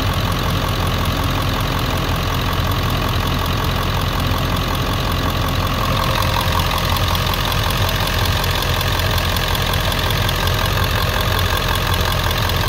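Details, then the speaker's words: 1999 Ford 7.3L Powerstroke diesel pickup logging P1280 at startup, ICP sensor unplugged: idle clatter slightly uneven and hunting as the PCM holds about 750 rpm using only the IPR valve; service engine soon light comes on. "you can see that it's it's went back in the 750 that's what the PCM just wants to and it's trying to control the RPM with just using the IPR and doing its best that it can"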